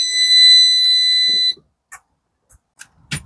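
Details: 1967 Travco 220 RV with big-block Chrysler, parked since 1988, at key-on: steady high-pitched buzz for about a second and a half, then silence; dash warning buzzer at key-on.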